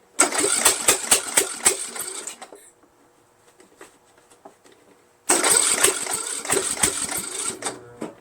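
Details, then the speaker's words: Troy-Bilt 1842 Super Bronco lawn tractor repowered engine, with strong spark confirmed and fuel reaching the carburetor: two cranking bursts with quick uneven pops as it catches, then it dies each time. It fires but won't keep running; the cause is unknown. "Just doesn't want to start though."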